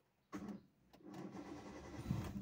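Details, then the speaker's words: Hyundai Santro, 5-speed manual petrol: very short crank, catches almost at once on a half turn, then settles into a soft, steady idle that is very quiet outside; starts easily and sounds healthy. "চাওক, half ইঞ্জিনতে গাড়ী চালু হৈ গ'ল আৰু সেইটো গমেই নাপায়। বাহিৰত চাউণ্ডটো একদম মিনিমাম, একেবাৰে মিনিমাম।"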